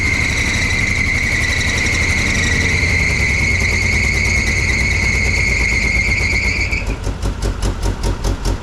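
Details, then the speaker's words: 1975 GMC Jimmy V8 at idle: loud steady high squeal over rough idle, dropping out after about seven seconds; owner notes belt issues, replacement water pump, possibly original alternator; engine was running on 6 cylinders when acquired — belt squeal. "Alternator looks like it could be original. We do have some belt issues."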